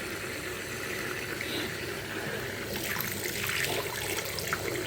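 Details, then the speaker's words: Vaillant Turbo Max 824 combi boiler after replacing a sludge-clogged plate heat exchanger that caused kettling: only running water and soft burner hiss, no kettling, rumbling or popping; hot water heating normally, fix worked. "the hot water's all heated up. No kettling sound. Seems to have done the trick."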